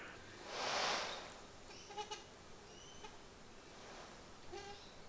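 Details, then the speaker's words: 1990 Mercedes W124 squeaky blower motor: a brief whoosh then short high squeaks as the dry, sticking motor struggles; it is effectively seized half the time and not shorted, before removal and lubrication. "Now this motor is effectively seized half of the time. It doesn't even spin up anymore."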